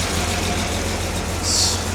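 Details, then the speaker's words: Jaguar XJ6 daily driver, first start after top-end reassembly with new head gasket and camshafts in correct time: cold engine on full choke idles with a steady, even hum, no knocks or misses; good oil pressure. "Sounds good. So yeah, we have built oil pressure."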